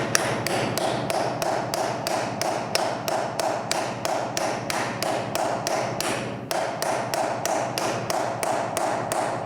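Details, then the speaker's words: Fitting a rear wheel bearing into a heated motocross/enduro hub with a bearing installation socket: steady hammer taps about three a second, struck diagonally, until the ring turns duller and more solid; the bearing is fully seated. "And you're hitting it diagonally all the time, never in the same spot twice. And you're waiting for it to make a different sound."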